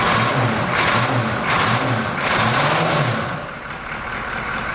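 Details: Abandoned 1980s Buick Century with a 350 diesel V8, one glow plug left disconnected; heavy clatter with a lumpy, uneven beat rising and falling with revs, not hitting on all eight cylinders.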